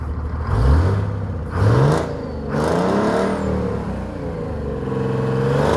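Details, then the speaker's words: Detroit Diesel 6-71 two-stroke in an International Harvester truck, idling and revving on a mild day of about 60 degrees: deep diesel growl with a clear Roots blower whine rising and falling with revs. Normal supercharger blower whine. "Whether or not you can hear it, but you can sure hear the blower whining."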